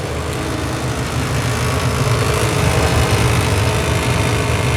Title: Furnace heat draft making noise #heat #service